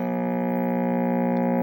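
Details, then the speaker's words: Vintage 16-inch Zenith black-and-white TV at power-up, poor vertical and horizontal deflection: loud steady low mains hum, unchanging in pitch, from bad filter capacitors needing replacement. "But I'm not going to let it run very long because it definitely needs a capacitor, or maybe two. So let's see, hear the hum."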